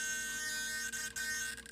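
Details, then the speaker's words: Solar D770 low-profile digital metal-gear servo in an RC car, load put on the tires: high, steady buzzing whine cutting in and out as it compensates; normal holding buzz, wheel play is from suspension. "I put some load on the tires you can hear it start buzzing trying to compensate"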